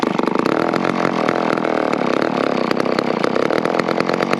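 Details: McCulloch 10-10 chainsaw, one of the 10-10s acquired in 2020, after cleaning dirt and gunk out of the recoil and priming: busy, crackling two-stroke buzz runs steadily without stumbling or dying out; runs and oils well.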